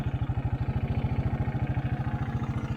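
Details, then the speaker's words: 1984 Honda 200 Big Red three-wheeler, sat about 25 years, repaired: low steady thumping single-cylinder idle with even beat, no knocks, misses or rattles; normal idle. "but the motor sounds good"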